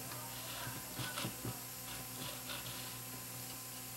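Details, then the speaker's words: Toshiba SA7150 2-channel 150 W vintage receiver under restoration, volume cranked: irregular crackling bursts over hiss and mains hum as bass control turns — scratchy tone pot needing contact cleaner. "and the base control sounds like they could use a shot a cleaner as well"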